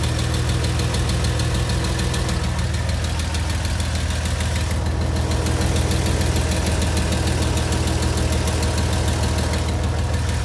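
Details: Porsche Boxster 986 idling very hot after spirited driving: steady light ticking about three a second over a low hum, mostly from the driver's side, gone after two minutes parked; owner wonders if lifters or exhaust.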